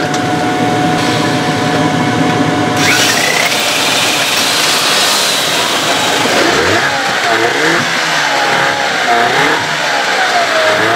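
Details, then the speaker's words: Evinrude/Johnson 15 hp outboard running after driveshaft swap: thin steady whine rides over the engine, bending with throttle, less bad than with the other driveshaft but still heard and felt; source unknown, motor deemed parts. "I'm still getting that whining noise it doesn't seem like it's as bad as it was with the other um drive shaft but I can still feel it you can still hear it"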